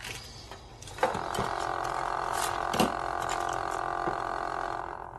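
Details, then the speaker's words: Big Shot die-cutting machine with a broken stabilizer, not yet repaired: hand crank turning with a steady groaning hum and a few sharp clicks as the machine vibrates and shudders. "I forget what part is broken but I haven't taken it in to get it fixed obviously Oh Stacy stabilizer it's the stabilizer okay we're just gonna have to be gentle with my Big Shot machine"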